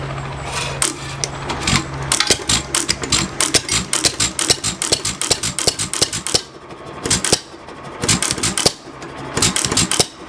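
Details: 1922 Hercules-built 2.5 hp Economy hit-and-miss engine, air damper closed, about 300–450 rpm range: sharp exhaust pops in bursts with quiet coasting gaps, normal hit-and-miss governing; runs properly.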